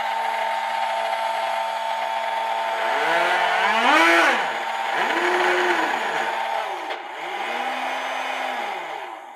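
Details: RNLI Severn Class RC lifeboat by Zappies, drive motors on a large 3S LiPo via adapter (owner fears ESCs may overheat): clean electric whine swoops up and down with throttle in smooth arcs; motors spin freely and sound healthy.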